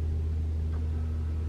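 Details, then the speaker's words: 2021 Toyota RAV4 Prime SE starting in EV mode at 57°F with auto AC off: the heat pump gives a loud but steady low hum, with no honking or horn-like noise, which is normal operation. "I can hear the heat pump humming it's not doing anything it's pretty loud but it's not making that sound"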